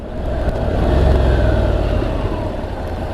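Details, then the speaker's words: Honda NC750X with DCT gearbox, riding in town: revs jump quickly, then hold a steady drone as the bike slows. This is a clean downshift manually overriding the automatic mode for normal engine braking. "it would have done for me anyway but I just wanted a bit of an engine braking then so I overrode it"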